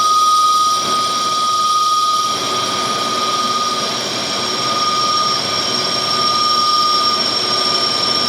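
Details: Lathe boring a thin-walled pitted track adjuster cylinder, 50 thou per side, 10.5 inches of overhang: steady high bell-like ringing through the cut. Finish not yet deteriorating; lathe chatter.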